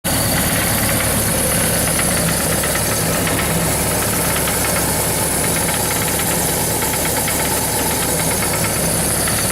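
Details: Suzuki GS1100GK four-cylinder motorcycle idling steadily with a fast, persistent knocking tapping; knock recently developed.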